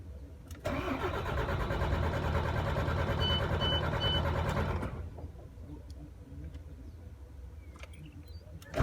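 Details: MAN TGA 26.480 truck, warm after running a few minutes: the starter cranks steadily for about four seconds but the engine never fires. It starts fine when cold in the morning. Hot no-start, cause unknown.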